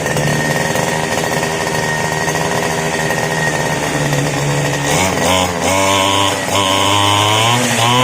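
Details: Two-stroke grass cutter that previously would not start, after carburetor cleaning: steady high-pitched buzz with an even note and a brief rev change near the end; running cleanly.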